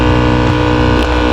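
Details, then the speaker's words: 2019 Nissan Sunny, AC blower under the dash: loud steady hum and whir with a rough buzzing edge and heavy vibration; its two bearings wear out after some time in service, causing the vibration and noise. "इसके लाक कुछ अरसा चलने के बाद ख़राब हो जाते हैं जिस वजह से फिर इसके अंदर वाइब्रेशन पैदा हो जाती है।"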